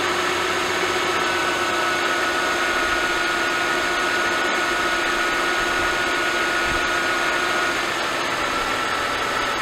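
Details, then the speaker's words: Mercedes-Benz S211 M272/M273, after an oil pickup tube O-ring replacement cured the cold-start rattle: once warm at 800 rpm idle, a rhythmic metallic tapping remains, audible up to about 1200 rpm. Cause not pinned down. "however once the car is warm and idle drops down to 800 RPM very noticeable like rhythmic metallic tapping noise is still there"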